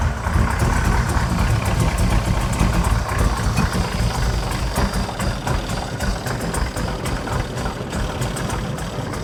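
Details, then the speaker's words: Blueprint 540ci big block Chevy V8 on a first run after fitting the Holley 20-242 mid-mount accessory drive; a steady deep rumble at fast idle with no belt squeal and the belt staying on; normal running. "more I'll take it it's not complete yet but it's working it's working good"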